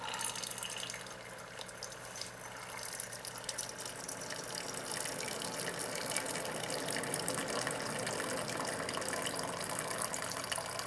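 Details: Classic Keurig K60/K65 after cleaning nozzle and pump blockage; steady trickle of hot water into the cup with soft pump hum, then pump refills internal reservoir — normal brew cycle, fixed.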